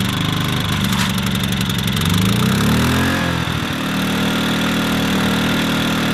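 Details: WEN inverter generator, which was surging before, after cleaning the main fuel jet and carburetor and fitting a high-altitude kit; started on choke: it picks up speed briefly, then holds a steady, even drone with no hunting; normal running.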